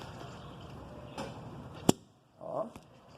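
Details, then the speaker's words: 2016 Hyundai Tucson, stationary, steering wheel turned fully to the lock: a sharp click then a brief rubbery creak from the rubber steering rack boot folding. "não está linho quando vira o volante todo com carro parado não é o carro em movimento tá E ele faz esse barulhinho aí que essa peça tá"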